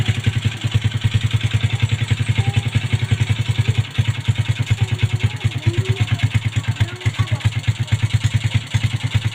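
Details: 2007 Yamaha Vega R single, regular steady exhaust thump at idle with even spacing, no skipped beats or coughing; runs clean after a part was cleaned out with a wire.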